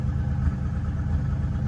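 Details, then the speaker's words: 1987 Buick Turbo T (Grand National) after 12 years off, near operating temperature ~180–185°F, 800 rpm idle: lumpy idle with loud exhaust backfire pops about every two-thirds second; owner suspects fuel pressure regulator set too high, plans ~35 psi. "So what we're getting, we're almost up to operating temperature. We're right around 180, but we're getting this backfire through the exhaust. It's somewhat loud,"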